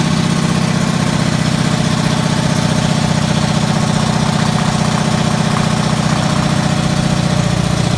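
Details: Race car first started in about 15 years (race stickers from 2005), in a garage: steady, even low thrum firing at a constant fast rate with no misses or knocks. Runs healthy.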